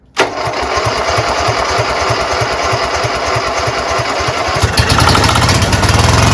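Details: Craftsman GT6000 garden tractor engine catches after a short crank, aided by spray, and settles into a steady, slightly lumpy choke idle that builds a little toward the end; normal start.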